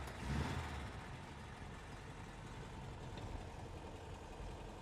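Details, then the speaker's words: 1961 Volkswagen 23-window Microbus Deluxe, air-cooled flat-four, 6-volt system, cold start in neutral, started first try: even steady low chuffing idle, chain sound as rpm rises; healthy normal cold idle. "yeah no problem at all turns over on the first try sounds good you can hear that nice idle and then you can hear that chain sound as it gets higher in the rpms"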